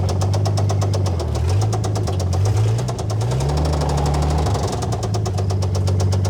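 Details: Old Dodge Power Wagon flathead on a 12V coil, no cooling system: hunting low idle with a deep regular knock every turn tracking engine speed; rod knock from worn rod bearing.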